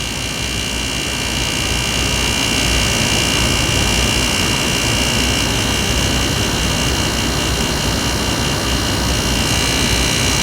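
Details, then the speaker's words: Hampton Bay HBQ051A-N 5,100 BTU air conditioner, first run after coil cleaning, 70°F ambient; loud rough roaring hiss with coarse rattle at compressor startup. Cause unknown, owner suspects something changing with pressures; condenser works with subcooling. "Actually, I probably should leave it like this so that we can hear the compressor. Still doesn't sound too good. I'm a little bit surprised it doesn't sound any better."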